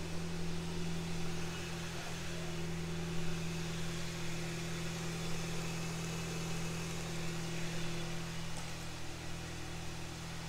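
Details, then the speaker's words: Ford Ka with a DIY turbo build, not yet warmed up, and an earlier leak no longer heard. The idle is steady and even with a smooth hum; the turbo spools fine with no misfire, a normal idle. "Turbo spooling all right. Doesn't seem to be misfiring."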